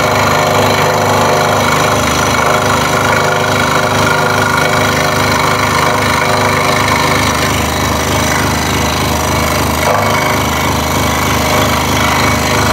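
Rapid, fairly even rattling taps about three per second over the saw's drone; the workpiece is slapping the table.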